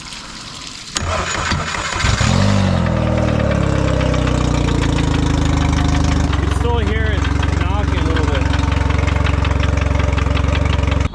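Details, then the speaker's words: Outboard after gear fluid change and lower unit reinstalled: cranks and idles, running well but with a dull steady thump about three per second from the lower unit, which needs rebuilding. "everything back on the outboard it runs good but there still is a thumping noise coming from the lower unit it's going to need to be rebuilt"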